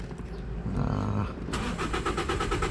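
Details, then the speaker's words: Toyota Vios petrol, check engine light on at key-on: the starter spins the engine in an even rhythm but it never catches; crank no start with no fuel pressure. "So cranking lang ito. Yan. One more. Ayon. cranking no start ang problema."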